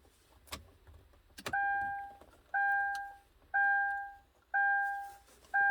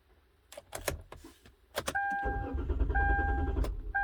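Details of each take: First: 2012 Kia Rondo, old key fob case with original transponder held near the ignition switch: six evenly spaced chimes, then a short crank and the engine catches cleanly into a steady idle; normal start. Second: 2012 Kia Rondo, key fob replacement case lacking the original transponder, tried without it near the lock: door chime, then starter cranks evenly about three turns a second without firing; crank no start, immobilizer not reading key transponder.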